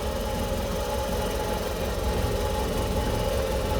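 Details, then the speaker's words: 1985 Suzuki Carry 1000 (ST100) after spark plug and ignition wire checks: started immediately, then a steady low idle with an even pulse and a faint mid hum; engine and radiator judged fine. "Wah, langsung menyala ya teman. Aman, mesin aman, radiator aman, mesinnya juga aman."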